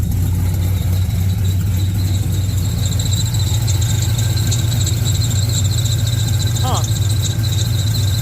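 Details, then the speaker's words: 1970 Camaro Z28 with a built LS2, LS3 heads, a newly installed Edelbrock E-Force supercharger and accessories moved 3/4 inch forward, idling and making boost. A constant shrill belt squeal is heard; its source is unclear, and the owner suspects the different AC compressor. "But it's running. So I clearly still have some work to do on the belt, but they are screaming."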